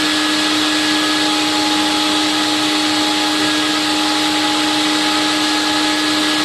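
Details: Late-1980s TriStar CXL vacuum on airflow/suction test with all standard filters and cleaned bag, about 120 V supply: steady high whine with even rushing airflow, no wobble, rattle or grinding; motor sounds okay, condition unknown, bearings due for replacement.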